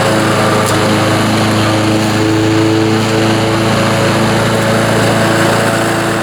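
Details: Honda HR215 mower, 5.0 hp engine, after reassembly with new mainshaft oil seal, governor gear and sump gasket for over-revving fault: loud, steady high-pitched drone holding even speed, no surging or runaway revs.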